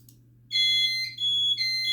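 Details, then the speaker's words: Notifier NFS2-3030 with NCA-2 panel and DVC, after database and audio library download: steady high-pitched trouble tone with short dips during initialization while DVC offline; troubles shown include no service, ground fault, audio library incompatible. "As you can hear, the panel is doing its little initialization stage."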